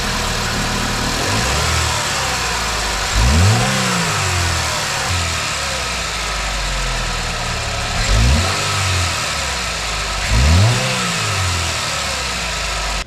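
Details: 2009 Chevy Malibu after work on the weak, shaking belt tensioner using a 3/8-drive tensioner tool: engine idles and revs up cleanly three times, with none of the earlier squeak or rattle from the right-side belt drive; normal running.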